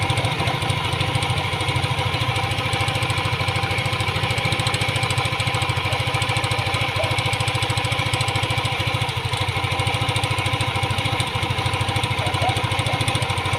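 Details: Yamaha Aerox 155 scooter with hot engine, before repair: steady idle with a fast, even ticking clatter from the cylinder head. The 'tunog jolen' rattle appears only when hot, caused by a worn rocker arm roller.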